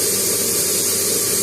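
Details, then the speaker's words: Emotion balneo bathtub air pump (blower), which had been tripping the breaker when switched on, now running: steady high-pitched rushing airflow, even level, spat out water; works normally. "Ça a l'air de fonctionner. Ça a craché l'eau."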